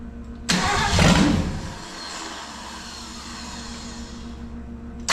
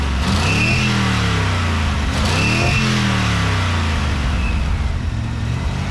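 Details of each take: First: 1965 Ford 289 4-barrel V8 (225 hp) on an engine stand for a 1955 Ford pickup, first fire-up with no exhaust or radiator: catches with a loud open-pipe bark, then sags and stumbles, unable to idle due to a big vacuum leak. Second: 1955 Ford pickup with 1965 Ford 289 4-barrel V8 and 4-speed top loader: smooth, even idle and revving on all eight after readjusting to 15 thousandths; warm idle oil pressure 40 psi, about 55 revved; slight blow-by remains.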